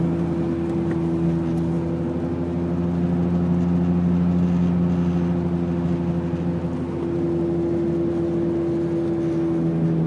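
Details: 1999 BMW 328i E46 sedan, manual, while driving: a loud, steady low droning hum, louder than the engine, that goes away when steering left and eases briefly mid-clip. First thought to be the differential, it was the right rear wheel bearing.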